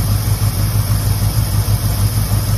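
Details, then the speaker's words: 1969 Ford, 52,000 miles, idling just after first start in 23 years: deep, even V8 burble, no misses or knocks; still needs plug wires, burning off oil poured down the cylinders before starting. "still need some plug wires and uh burning that oil that we put down the cylinders burning that out right now"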